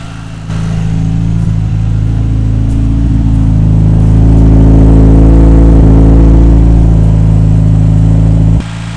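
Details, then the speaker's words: Mitsubishi Evo V with a rebuilt 700+ hp spec 4G63 turbo engine, first start, run without the auxiliary belt because a pulley squeaked and the idler pulley is worn: smooth, steady, quiet idle with no ticking or squeal. "i'm just going to quickly start it up for you to hear it without the uh auxiliary belt on so you can hear how quiet is and uh really really happy with that"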